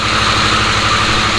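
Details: Harley-Davidson Sportster S, battery recharged after key-fob drain, started via code entry: steady, even idle with a quick, regular pulse and no knocks or stumbles; healthy normal idle.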